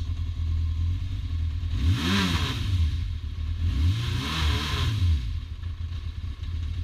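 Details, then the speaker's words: 1992 Yamaha XJ600 (Seca II), 19,288 miles, cold after about 5–9 minutes running: four-cylinder idles stuttery and stumbles between throttle blips. Owner suspects spark plug wires arcing onto the engine cause misfires, backfires and sputtering above 6K. "I had to pull the bike out a little bit because you can hear it's kind of stuttery a little bit, you know, stutters."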